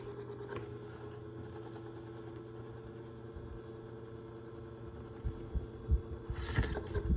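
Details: 2002 Cool Breeze 12-inch oscillating desk fan after 20 years of heavy use: constant whine and hum throughout, handling noise at end; motor bearings completely shot, causing loud squealing.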